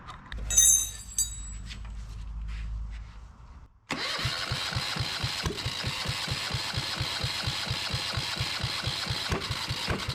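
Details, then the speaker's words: Yanmar 1GM marine diesel from a sailboat, after loosening the inlet line until fuel dripped and retightening it: steady, even cranking beats, turning over without catching or picking up speed; reluctant start before it finally ran. "doesn't really want to go does it"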